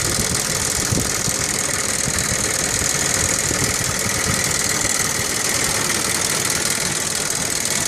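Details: 1998 Audi 2.8 V6 5-valve petrol at idle with a busy, fast ticking clatter over a steady hum from the driver-side front valve cover; abnormal valve train noise, owner suspects a chain tensioner fault.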